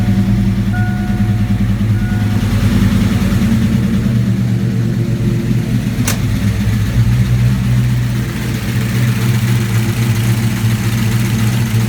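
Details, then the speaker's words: 1987 V8 after Promaxx heads and new rocker arm install, idling after battery disconnect: low steady idle briefly dips and surges while the computer relearns, then catches and settles smooth; normal idle relearn surge, otherwise healthy. "Got to get some gas, but it is running smooth. The computer is just trying to learn a little bit. I had the battery disconnected, so it'll surge for a minute and then clear out."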